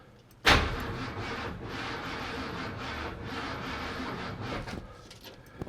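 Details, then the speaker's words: Neglected Jeep J-series truck, cranked via a push start button, probably aftermarket: starter drags the engine over slowly and unevenly about four seconds with no firing; owner thinks the battery is a little weak. "Still sounds like the battery is a little weak."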